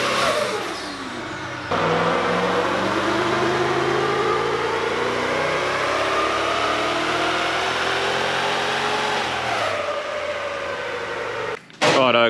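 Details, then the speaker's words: VEE080, a boosted LS car on drag racing prep, misfires under boost. The run is hard and revving, and it stumbles and breaks up unevenly as boost builds. It's fine at low boost. The plug leads were separated, but the fault suspected to be in one plug lead persists, so it's being re-terminated. "still have the same issue where it's sometimes the right and sometimes not um so rex is re-terminating the problem plug lead because it everything sort of is pointing to a plug lead the issues that we're having which is strange"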